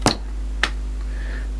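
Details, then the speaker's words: Yamaha amplifier, back for repair after four years, with the fault linked to the operation switch: at switch-off after running in class A, two crisp clicks about half a second apart, then only faint hum. Normal relay click at switch-off. "all the right clunks happen put it back to normal operation and we're fit and done"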